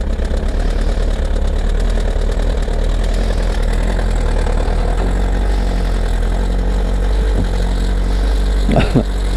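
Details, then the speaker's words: Kawasaki ZR7S four-cylinder, cold start with choke after sitting: steady idle with light fast metallic rattle from middle of cylinders, louder as revs drop, vanishing at higher rpm; owner suspects cam chain, all four cylinders firing. "おそらくね、カムチェーンだと思うんだけど、回転が上がるとノイズが消えるんだけど、ヘッド周りまではね、行ってないと思うんだよね。"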